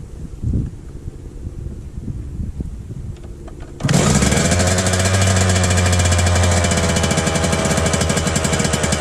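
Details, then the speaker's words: Suzuki RM125 two-stroke after engine rebuild, during break-in, stainless exhaust, choke off; fires and settles into fast buzzy high idle that slowly drops, exhaust spitting old premix; high idle after start, cause unknown. "Alright, the choke isn't on, but for some reason every time I start it, it idles really high, then it eventually goes down."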